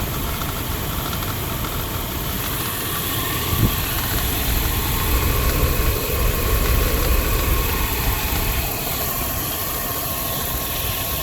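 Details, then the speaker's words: 2001 Dodge Durango 5.9L after water pump replacement, warm with temperature gauge normal: steady idle with uneven light chatter about three per second; owner suspects a worn bearing in the fan clutch or AC compressor clutch. "That chatter you're hearing is the fan clutch, or the centrifugal clutch for the AC pump. I think the bearing in it is going out."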